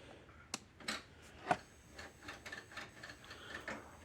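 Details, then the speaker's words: DARE DE 2400 fence energizer, red light flashing but no output, of unknown age: only faint irregular ticks as it cycles, without the transformer's discharge click, so no output pulse is firing; cause not yet found. "all right you can kind of hear it cycling and the light is flashing but it's not clicking okay so that means the clicking sound itself comes from the Transformer is when the energy discharges out of this stuff"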